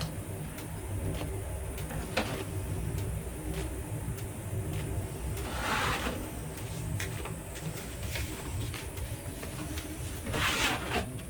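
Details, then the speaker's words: LG TROMM condenser clothes dryer about 22 months old with bad smell from towels: light, irregular ticks and pops every few seconds over a steady low hum; ticking from loose fallen fragments inside, not heard when new. "그 틱틱틱 이 소리도 안 났거든요. 틱틱 이 튀는 소리가 나잖아요."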